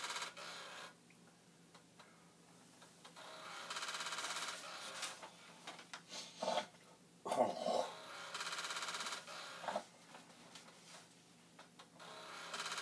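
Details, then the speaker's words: Vintage Commodore floppy drive (1571 or 1541-II) in a repeated-format torture test program: quiet drive with irregular clicking head steps and short buzzing bursts between pauses; struggling to format, cause unclear. "so this one does seem to be having trouble just now trying to do this 18 times"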